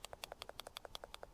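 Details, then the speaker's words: VW Corrado VR6 idle control valve that has gone bad, clicking rapidly and evenly (about eleven a second) instead of holding position; engine was also trembling, and a vacuum leak was found. "You hear that, I hope. When it's doing the clicking noise, then it's gone bad."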